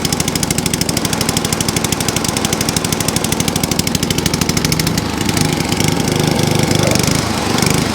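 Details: ATCO cylinder mower with a Dell'Orto carb, left overnight with fuel and no leaks, started on choke: rapid single-cylinder firing that swells and sags every second or two; hunting because the choke was set too far.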